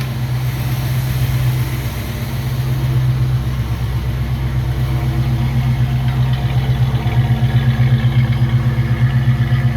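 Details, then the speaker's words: 1969 Ford Mustang Mach 1 V8 after fuel pump replacement, no leaks: steady lumpy idle, even beat about four times a second, no misses, ticks or stumbles; sounds good, normal idle. "sounds good well I'm really happy with that result took a little longer than I anticipated by getting the right fuel pump"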